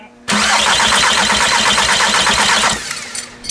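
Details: VW MK4 TDI no-start: the diesel cranks steadily with no firing after air was bled from the lines. A leaking injector losing compression was suspected; the cause was later found to be electrical corrosion at contacts.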